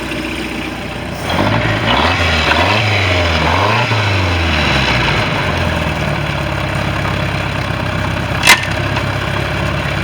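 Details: Bayliner boat with 3.0 Mercruiser engine, final running after electrical issue and exhaust leak: fires, takes a few quick throttle blips that rise and fall cleanly, then settles into a steady, even idle; normal idle.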